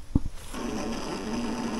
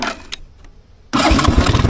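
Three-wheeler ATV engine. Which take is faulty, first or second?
first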